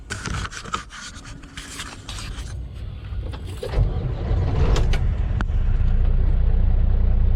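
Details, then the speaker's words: Diesel pickup restarted after the hot-exhaust light came on in stop-and-go city driving: clatter, then it catches and holds a raised, steady rumble; fast idle during DPF regeneration, which also makes it run rough and vibrate. "when i crank the truck back up it's going to go right back to fast idle to clean out the exhaust to prove it i'm gonna show you"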